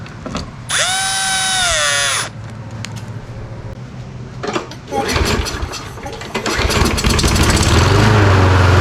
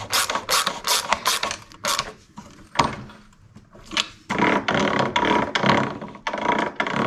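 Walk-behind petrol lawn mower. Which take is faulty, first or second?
first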